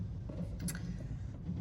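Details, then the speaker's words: Tribute T720 motorhome fresh-water pump kicking in and pressurizing for the taps, toilet and shower: low, quiet, steady hum with faint clicks. The pump is running normally. "This here is the pump, so you can hear it there kicking in. It's just pressurizing. This is for when you're using the taps, toilets or showers."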